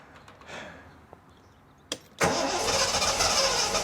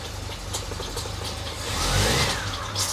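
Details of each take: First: 1973 TVR 2500M, first start after fitting a new wiring harness: cranks, catches and settles into a steady, even idle with no knocks or misses; charge light goes out, then an oil leak appears at the aftermarket oil filter adapter O-ring. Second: 1973 TVR 2500M, first start after new wiring harness: engine running rough with a wet, squishy hiss rising over idle; heavy oil leak as the aftermarket oil filter adapter spat out its outer O-ring.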